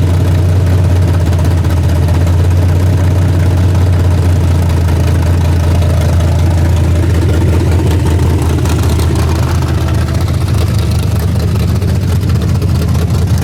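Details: Freshly rebuilt 406 small-block V8 with open plenum, during 15-minute break-in at about 5 minutes: loud deep even rumble at raised idle, no ticking or knocking; running clean, may need a bigger carburetor.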